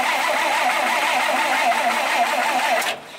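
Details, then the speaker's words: 1951 Dodge flathead six, unstarted for 32 years, with new plugs, plug wires and ignition coil; the starter drones with a wavering pulse about four beats per second, never firing. "no no no I just want you to spin over maybe let it spin two three four times to see how much compression this guy on this number two cylinder"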